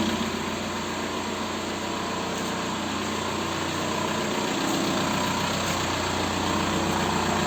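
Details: 1.9 TDI diesel (ALH/AGR/ASV/AHF) at idle after an oil change: quick, fairly even tapping, three to four per second, over the clatter. The owner attributes it to hydraulic lifters and piston slap, with rings likely burned by 30,000 km oil intervals.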